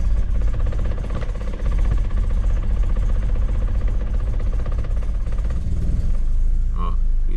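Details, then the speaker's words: BMW E36 Compact M43 on a cold start after swapping the paper idle control valve gasket for sealant and cleaning the MAF sensor. Hard start, with the engine shaking and labouring at a low, uneven idle that dips near stalling: a rough, unstable cold idle. "As you can see, it's a very hard start shaking. It's very rough."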